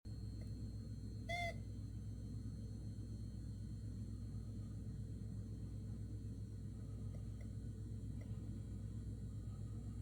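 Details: Kitchen electrical outlet that began making noises after making coffee: a single short, high chirping squeak over low room rumble, at unpredictable intervals with varying pitch; intermittent squeal, cause unknown.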